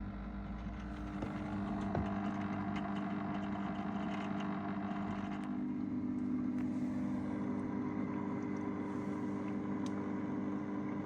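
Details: Dynamic Power/SunSun HW304 aquarium filter after fixing its common rattle issue. Steady low electric hum with a soft, even tone and no rattling or clicking; only the motor hum remains, sounding healthy.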